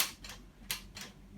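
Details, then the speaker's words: Bugaboo Donkey stroller chassis: sharp plastic clicks from the lower end of the handle when it is lifted, caused by a loose central locking mechanism screw that needs tightening. "this is a Bugaboo Donkey and this chasis makes a clicking sound"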